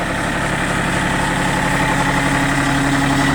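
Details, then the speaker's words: Used Kobelco SK024 mini excavator (small diesel) at idle on a -25 °C frosty morning after being warmed up and started: an even, steady low chug of about four beats a second, no knocks or misses; engine runs smoothly and well. "двигатель работает ровно и хорошо"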